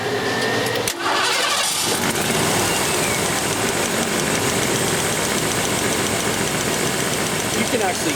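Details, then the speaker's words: 1987 Ford Bronco 5.0 with an EEC-IV ignition misfire, number one cylinder through an in-line spark tester: cranks, catches and idles with a sharp, very audible spark crackle on every firing. Spark is strong and consistent. "hear the difference in this spark this one's very very audible cracking every time it fires and and so so far I don't know about you guys but I have not seen a drop in that at all it's been consistent in every single time"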